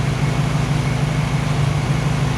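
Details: Warm new 1600cc engine in a 1968 VW Karmann Ghia, oil pressure 25–30 psi, lower idle set: low, even idle with steady lope, no squeaks, rattles or ticks; normal idle.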